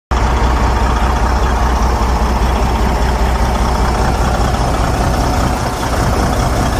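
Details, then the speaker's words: Detroit DD13/DD15/DD16 diesel idling rough with a faint uneven knock; faulty injectors overfuelling, engine struggling to burn the excess fuel, with heavy smoke. "injectors were over fueling the system causing a lot of knock you will hear a little knock on the engine because this was having hard time to consume all the fuel that was getting injected to the combustion chamber"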